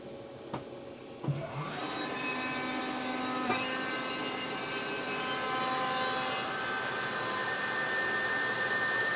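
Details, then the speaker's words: Newly installed Kaeser Air Tower screw compressor in a shop, switched on: a couple of clicks, then the motor spins up to a steady, even hum; slightly louder than the previous loaner Air Center unit but not intrusive; normal running. "I would say that the noise level of the air tower is slightly higher than the air center that we had here, but not a big difference at all."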